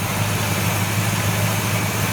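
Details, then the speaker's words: 1970 Buick Wildcat V8 with Quadrajet carburetor at tune-up, starting right up: steady even low idle with no hunting or surging, unlike before; owner suspects earlier surge came from carb idle circuits and old gas. "thank you just starting right up and everything real good you know yeah it is it's not surging like it was either you know"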